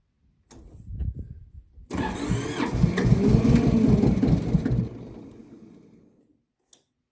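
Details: Massey Ferguson 205-4 diesel on a cold, damp day: starter churns over at about three and a half beats a second, never catches, then winds down; fuel shut-off knob was pushed in instead of pulled out.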